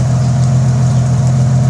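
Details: Jeep 4.0 after spark plug change, with a growing exhaust leak: steady, even low idle hum with no stumble, exhaust no longer spitting as before; normal idle.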